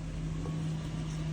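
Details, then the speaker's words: 1995 Toyota Celsior (Lexus LS400 equivalent), first start after new fuel pump installed to fix a crank-no-start: engine catches and settles into a steady, even low idle with no misfire or stumble; started right up, healthy idle. "Started right up. Oh, yeah."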